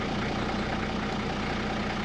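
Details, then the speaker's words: 1985 Toyota Land Cruiser HJ75 diesel, after sitting a week, restarted after preheat: steady low idle with even clatter, no knock; earlier stalled when oil pressure read nothing, tripping the low-oil-pressure safety cutout switch; low oil pressure shutdown. "And it'll keep running. And that's what's happening there is as I said, there's a safety cutout switch for low oil pressure."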